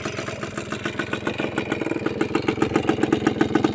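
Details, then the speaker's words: Used Suzuki Crystal kick-start two-stroke motorcycle, original parts, speedometer working: quick even popping idle with a light rattle, holding steady without stumbling; normal idle, slightly noisy engine. "คลิปนี้ไปเร็วๆเลยเดินเบาปกตินะครับมีเสียงเครื่องดังนิดหน่อยนะครับ"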